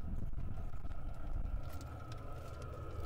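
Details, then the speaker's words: Diesel air heater in an ambulance camper conversion, after its first successful start and after the cap was refitted (owner suspected vapor lock): the fan slows as it cycles down, and fuel pump ticks return over a steady combustion rumble; normal running. "yeah so it's cycling down now yeah okay so the fan has slowed I can start to hear the tick of the fuel pump again because the fan has slowed down"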